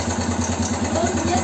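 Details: BM Motard 259 single-cylinder after engine rebuild, idling: sharp regular knock on every firing stroke, about six per second; source not pinned down, listeners unsure if it is in the upper engine.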